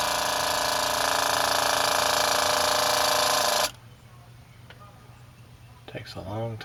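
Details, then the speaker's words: RV water pump after fitting a silencing kit with an accumulator tank: an even buzzing whir with fast fine pulsing, then a clean cutoff; normal pump running. "here you can hear but barely over the sound of the running water let's go back here you can hear it but it is a lot quieter A lot quieter"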